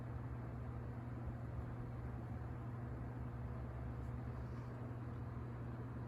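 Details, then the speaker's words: Coast-Air 12-inch box fan running on high speed after starting on low: steady low hum with a smooth, even whoosh. No rattles, squeaks or wobble; good blade balance. "it's gonna start on the high speed about we started on the low speed no noise no rattles or squeaks good blade balance"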